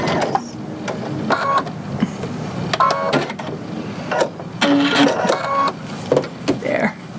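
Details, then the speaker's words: Sewing machine stitching after being re-threaded with the presser foot up to cure bad bobbin tension: short bursts of even stitching clatter with no snagging or knocking. Proper tension is restored. "and you can see that that fixed that tension so now i'm back up to proper tension again just by re-threading the machine"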